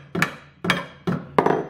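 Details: Bronze boat propeller with a blade eaten away by stray-current galvanic corrosion, struck: four sharp taps, each dying as a dull thud with little ring. Dead, corroded bronze.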